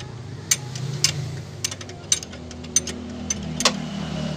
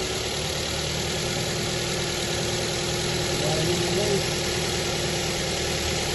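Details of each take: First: New Avanza 1.3 at idle on a cool morning: sharp chirps roughly every half second over a low idle; squealing hardened fan belt slipping, with tensioner pulley suspected worn and making srek-srek noise. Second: New Avanza 1.3 four-cylinder petrol engine after fan belt and tensioner pulley replacement, test start: smooth steady idle with faint even hum, no belt squeal or tensioner chatter.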